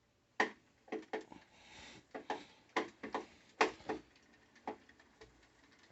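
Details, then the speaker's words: NordicTrack 890 Pro treadmill (titled 990 Pro): sharp uneven wooden knocks about two a second from the moving belt; nothing loose or misaligned found, belt shedding dust, cause unknown. "so i have a nordictrack um 890 pro that has a knocking noise i'm trying to figure out what the issue is"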